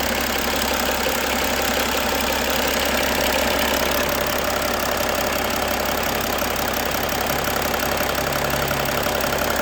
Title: E90 330D M57 - Engine Knock